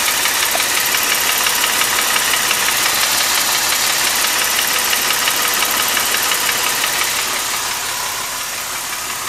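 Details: 2005 Mercedes SLK350 M272 engine at idle, noise since 80,000 miles: sharp, regular tapping near three knocks per second following engine speed; owner suspects scored cylinder wall, cause unconfirmed; engine later failed around 130,000 miles.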